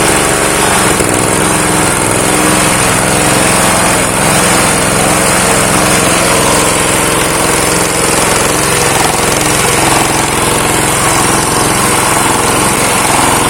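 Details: Honda GX160 water pump engine revived after long disuse, carburetor jet possibly dirty, choke closed: single-cylinder chugs at a fast idle with slight hunting, no knocks; idle unstable until raised, then stays running.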